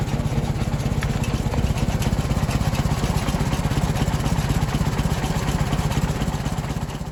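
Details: Ford 961 Powermaster tractor after ignition (points) repair; it had previously been firing only one cylinder randomly. In neutral: even, steady chuffing pulses with no stumbles or skips, firing cleanly; normal idle.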